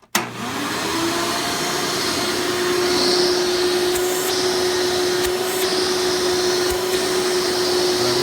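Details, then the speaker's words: 1996 Hoover Elite Supreme U5071-930 upright vacuum with replacement 20-blade fan, running in tool mode with on-board hose: steady even motor roar, constant mid-pitched hum and airy rush; runs normally. "pull off the hose again it gets connected right down in here now I would like to note these are not known to have the best suction when running it in tool mode and turn it on"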